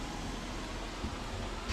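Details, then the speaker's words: Fiat Ducato campervan, newly installed diesel hob on full, fuel pump under the driver's seat: soft steady fan rush with a faint low hum and slight pump ticking that settled down; normal running. "but that's the noise that it makes that's the fan and that's on full glass at the moment you might be able to hear some ticking noise from the pump"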